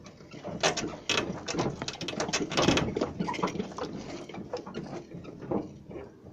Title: Скрип подвески